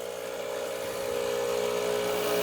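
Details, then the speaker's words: Rancilio Silvia single-boiler espresso machine, startup priming with steam valve open, hot water switch on: steady buzzing pump hum rising slightly as water flows and the hoses are squeezed. Pump moving water normally. "When you hear a different pump noise when the hoses are squeezed, it tells you that the pump is actually pumping water through the system, and that's just a quick check."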